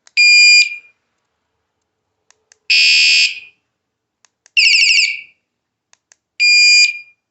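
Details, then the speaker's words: wsdcam 113dB wireless vibration motion sensor bike alarm with remote, bench-tested for sensitivity; four loud shrill rising, warbling bursts with short clicks between. Alarm siren sounding, very loud. "let's see how sensitive it is holy smoke okay that's that's loud that is that is really loud"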